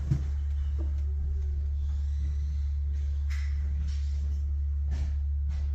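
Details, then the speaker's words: Heat pump after installing line set vibration absorbers, heard inside the house at the loudest spot: faint constant low hum, much quieter than before; refrigerant line vibration still carried indoors. "you can still hear it but I mean it's a piece of equipment what do you want me to do"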